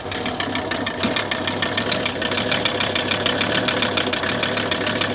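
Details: 1981 Mercedes 300TD wagon (OM617 diesel), just acquired, started cold without glow plugs using a new battery and booster: sharp rapid metallic knock over steady idle rumble; possibly normal injector nailing, cause unconfirmed.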